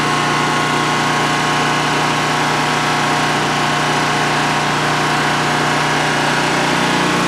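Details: DuroMax XP15000HX generator, newly installed in a shed, on its second start and running on propane with the exhaust fan off: a steady, even hum and constant drone with no knocks or surging over a 5-minute test run. Normal idle, no issues.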